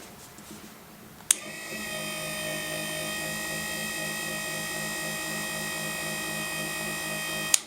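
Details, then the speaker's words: Mitsubishi Evo ACD/AYC hydraulic pump bench-run from a small battery: the electric pump whirs at one constant pitch for six seconds and never slows or strains, so it is not building reservoir pressure; pump to be opened and repaired. "As you can hear, the pump is running at constant RPM. So it's actually not making any pressure, because otherwise you would hear the pump slowing down as it gets the pressure reservoir pumped up."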